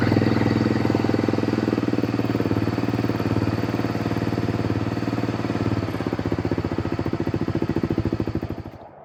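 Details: 1992 Honda Fourtrax 300 ATV after starter replacement: single cylinder settles into an even, regular idle pulse without grinding or misfires, then shuts off cleanly.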